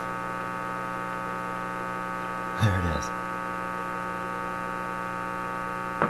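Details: Simplex antique vacuum tube radio on shortwave, hooked up to the antenna wire, front end suspected faulty: steady low mains hum with a buzzy edge, no station or tone coming through; not receiving signal.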